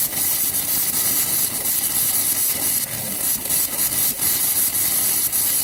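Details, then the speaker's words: After a new hot water tank install, the valves are opened upstairs to burp the lines: a steady sputtering hiss with uneven spits and surges as air is pushed out of the hot lines, which is normal. "we got to go upstairs and turn on the valves, and it makes a loud noise, and we call it burping because it's basically burp, burp, burp. That's how it comes out."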